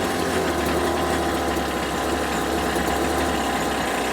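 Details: Homelite UT08572 small two-stroke, just restored, gives a steady, thin buzz at a low idle speed, close to dying; idle set too low, and it had died on its own.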